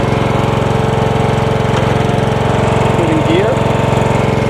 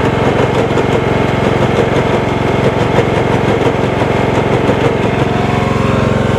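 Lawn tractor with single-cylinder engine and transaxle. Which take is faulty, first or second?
second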